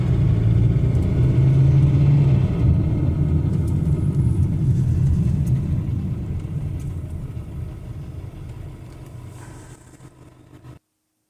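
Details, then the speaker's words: Jaguar F-Pace 204DTD diesel after home rebuild, injector sound deadening cover off: strong rumble with even beat winding down smoothly as revs fall, no knocks; running great, normal diesel sound. "I think I'll call the video there I'm happy with it all now it's running great uh sounds like a diesel so to be expected I guess"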